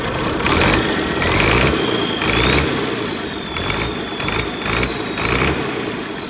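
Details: First start of a rebuilt MMZ-260 diesel in an MTZ-1523 tractor, some small pipes still to fit. Fires up and settles into a steady run with revving surges and a faint whistle on top; normal running.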